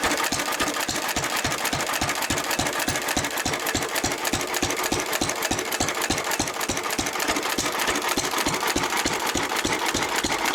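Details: 1923 3.5 hp Emu (rebadged Hercules) stationary engine, restored early 1980s, idle 20+ years, after oiling a sticking magneto/exhaust valve linkage: crisp even firing about three and a half beats a second, no misses or stumbles; normal hit-and-miss running.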